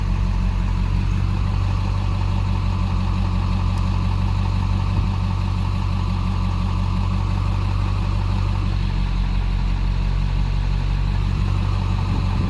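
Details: Ford 7.3L diesel with E4OD transmission idling with misfire while code P1748 is not present; low, slightly uneven chug with an occasional stumble.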